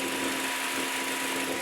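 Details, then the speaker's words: Cold Vauxhall Meriva B A14XER engine: loud steady whooshing fan roar. About 30 seconds after start the radiator fan runs constantly on fast speed and the spanner light comes on. Fixed with a genuine Vauxhall thermostat GM25200454. "Don't know if you can hear it as well, but the fan will spin constantly. As soon as the car starts up, after about 30 seconds, the fan will keep spinning on fast speed."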